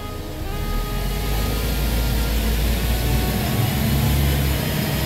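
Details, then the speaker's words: Chevy Spark NG automatic transmission after a full rebuild, during a test drive in Drive: a steady engine drone that climbs evenly with no clunks, flare or slipping. Shifts on time, first to second expected around 15–25 mph. Healthy shifting. "good good good so it's changing excellent it's changing on time and you just check the mileage and you're going to see when it changes gear you will hear that sound when you change gear"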